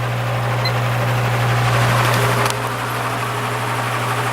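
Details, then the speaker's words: Repaired spare Marco motor from a Lasko/Galaxy box fan, running on low speed at about 1 amp and 80 watts: steady, smooth low hum with no rattle or scrape. "Yeah, it runs just fine."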